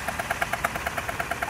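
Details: Kia/Hyundai idle with check engine light flashing: sharp even ticking about eight or nine times a second; earlier cold-start rattle suggested loose cam phasers, another shop's repair possibly left something stripped; cause unconfirmed.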